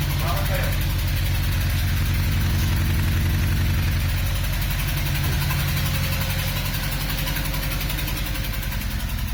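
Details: SAAB petrol engine idling with a lumpy, uneven pulse like an aggressive camshaft before shutting off; rough idle that began with power loss after exiting the freeway.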